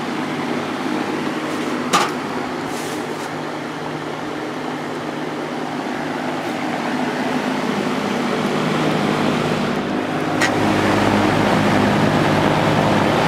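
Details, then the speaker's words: Vintage Air King V20E box fan, GE 2.1 A two-speed reversible motor running on high at 2.05 A, 159 W: smooth steady whoosh with even low motor hum, no rubbing or ticking, fairly quiet; normal running. "high 2.05 amps 159 Watts this has a real nice sound to it it's not that loud either"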